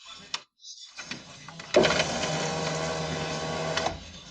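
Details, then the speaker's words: 2004 Mercedes Vito W639 115 CDI front window regulator, tested after repair with the motor connector refitted; steady, even motor whir for about two seconds, no grinding or binding, glass goes fully down and up, working properly. "And now we press the window and there it is. Okay, you see, it goes down perfectly all the way to the bottom and goes up."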